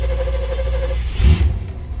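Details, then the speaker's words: 1975 GMC motorhome, 455 ci front-wheel-drive V8, started after sitting a couple of weeks with one pump of the accelerator pump; the onboard air-ride compressor runs in the background. About a second of cranking whine, then it catches with a thump and settles. It starts readily. "so it didn't start right up, but that was pretty quick. Pretty quick for sitting for a couple of weeks."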